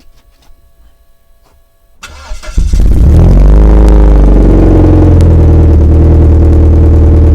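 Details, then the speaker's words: Vauxhall Cavalier X20XEV 16-valve engine revving smoothly with a deep, even exhaust note, no rattle or blowing, heard while replacing the exhaust manifold gasket and rear silencer to cure a ticking sound; normal revving. "I must admit when I revved it up just a second ago it sounds just a little bit different sounds smoother in a roundabout way"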